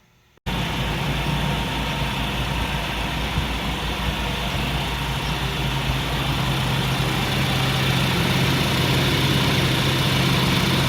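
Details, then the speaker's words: Honda Civic hatchback, running on the stock ECU after its leaking capacitors were replaced to cure a no-start: engine catches and settles into a steady, even idle with a smooth low rumble, no misses or knocks; normal idle. "i'm happy to report that this uh hatchback now runs"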